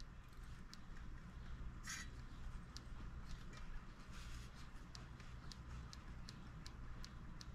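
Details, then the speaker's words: Brand-new TR1 tractor before first start, plug wire pulled and switch on: faint sharp snaps about twice a second over a quiet hum. The ignition is sparking properly. "we're going to listen for spark that it sparked i heard it"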